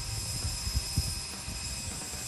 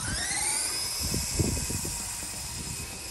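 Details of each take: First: Radio Shack Sonic Thunder RC truck (Tamiya Midnight Pumpkin clone), modded, two-speed gearbox in high gear on 3S: steady motor whine with rough clunks and rattles when braking; gears crunch instead of holding. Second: Radio Shack Sonic Thunder RC truck (Tamiya Midnight Pumpkin clone), modded, two-speed on 3S: gears skipped in low, switched to high; high whining motor pitch climbs and holds, no gear-skipping clatter; normal running in high gear.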